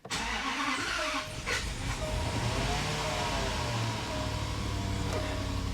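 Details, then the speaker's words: 2011 Range Rover Sport HSE Luxury after blown head gasket repair, modules reset and codes cleared, started on a brand new battery: fires almost at once and settles into smooth steady idle, compressor heard kicking in, no check engine light. "it's definitely running a little differently than it was earlier one thing I noticed I hear the compressor kicking in"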